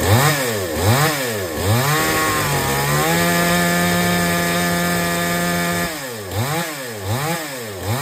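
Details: Chainsaw that would not take load, after H/L screws set fully in, then the H screw out three turns. Throttle blips, then a steady high drone holds pitch through the cut without bogging: normal cutting under load.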